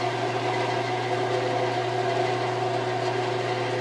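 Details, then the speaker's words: 1948 Delta Milwaukee 14-inch bandsaw running after work that cut blade vibration: steady even low hum, quieter overall, with an added faint high harmonic heard more on wind-down and no slap or flutter; normal smooth running. "And you can also hear that it's quieter. There's just an extra high harmonic in there."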